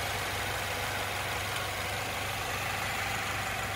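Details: 2014 Subaru Outback, 93,000 miles, no check engine light, recently started cold, listened to in the engine bay: steady, even idle with smooth low beat, no knocks, ticks or vibration; normal idle.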